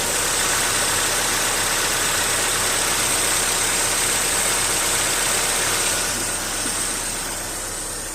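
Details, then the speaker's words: Petrol engine idling evenly with a steady hiss and no valve-train tick after adding Marvel Mystery Oil for a sticking lifter; lifter knock has stopped. "we're going to see if it's still ticking it's not ticking the lifter stopped knocking"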